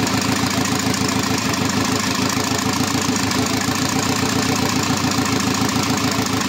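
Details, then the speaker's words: Škoda 1.4 MPI turbo after readjusting the position sensor, engine refitted with gearbox: steady even idle pulsing about three beats a second, no skips or hunting; runs properly. "Snímač sme si nastavili. No a už to konečne štartuje tak, ak má Mišo, kopni to."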